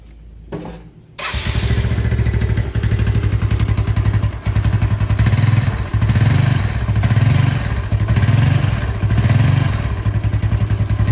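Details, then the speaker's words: 2007 Yamaha Mio Sporty restoration project: after starting, the idle surges and sags about every 1.5 seconds and won't hold even when adjusted; the carburetor seems faulty, and servicing and replacing its internals is planned. "karbu ini sepertinya udah nggak normal, karena karbu ini nggak mau langsam. Ketika di setel langsam, untuk langsam ini naik turun."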